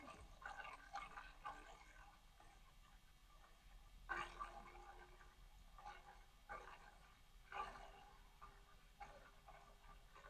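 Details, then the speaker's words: ID-Cooling DashFlow 360 XT Lite 360mm AIO liquid cooler, out of case: faint pump hum with irregular gurgle and slosh every few seconds as trapped air works through the loop. "especially with all that air in there. I mean, eventually the air should settle out. I don't know why it's taking. Why I don't know why this is so difficult to get the air out of. Yeah. At least for now, it's going to be noisy like this."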